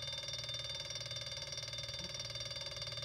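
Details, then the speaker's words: Three-phase brushless washing machine motor driven by a simple transistor circuit at about 30 V and 0.45 A: a high, buzzy whine pulsing about four times a second; it slows with one coil disconnected and speeds back up when reconnected. "It's a little more noisy. You hear it kick into high gear here again. Disconnect this side. You hear it slow down again."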